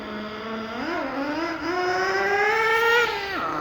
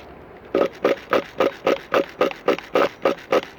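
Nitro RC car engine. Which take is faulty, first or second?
first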